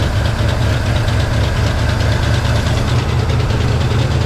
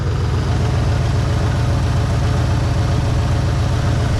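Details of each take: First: 1963 Pontiac Catalina 389 hardtop, not run in 12 years, first runs on a cold day: low, uneven rumble with irregular lumpy pulses; rough running from carburetor flooding, found to be a stuck needle and seat and a vented fuel line. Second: 1963 Pontiac Catalina 389 V8, unrun for 12 years and running on very old fuel: deep, even idle with a steady low rumble and no valve-train ticking; the motor sounds solid; normal idle.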